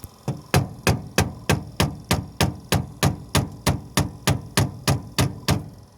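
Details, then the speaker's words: 1973 Dodge D100 heater blower on high, previously not working, starts after touching with screwdriver: low hum with steady thump about three times a second; motor turning and moving air again. "Oh, it's working. Listen. It's working now. You can hear it."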